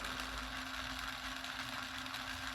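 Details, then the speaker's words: Old vehicle radio cassette deck, transport running: steady motor hum with a faint constant tone around 250 Hz and no drag or wow. The mechanism pulls the tape with good tension and torque. "but the fact it can move this shows it must have some pretty good tension as it's making some good torque cuz these tapes can be quite difficult for a mechanism to move if it's a bit weak"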